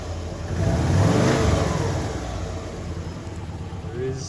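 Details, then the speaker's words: 2002 Subaru Legacy B4 twin-turbo automatic that sat for months, cold start on a flat battery, then blipped. Rev rise lumpy and ragged as it settles; rough running. Owners presume head gaskets failed, citing white exhaust smoke, unconfirmed. "Good reason why this is the cheapest twin turbo B4, and that's because quite simply we presume the head gaskets are fucked, which if you saw in the last clip there was white smoke coming out of the exhaust pipe, and that's a symptom of it."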